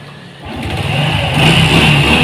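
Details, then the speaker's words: Honda Revo/Supra FI injection motorcycle, engine revved from idle and held: steady humming drone over exhaust note; battery stuck at 11 V, not charging, faulty stator (spul) coil cuts lighting and charging. "kenapa sampai mati karena instrumen atau buat pengetasan ke akinya itu enggak berfungsi karena spulnya rusak otomatis untuk suplai listrik lampu ngecas aki enggak ada pnya rusak onslet atau error lah seperti itu mas bro enggak ada pengisian ke aki"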